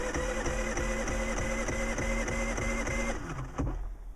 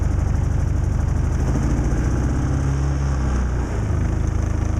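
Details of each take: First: Predator 3500 inverter generator, electric start on its small battery after nights near -20° and about 5° now: starter turns over slowly at about three chugs a second, then stops without firing; started on a second try after a short pause. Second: Predator 3500 inverter generator on electric start, cold after nights near −20° and about 5° now. It cranked slowly and started on the second press. It now runs with a steady, even drone and no stumbling: normal running after a cold start.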